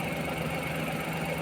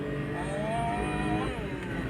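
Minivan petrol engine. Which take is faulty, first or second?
first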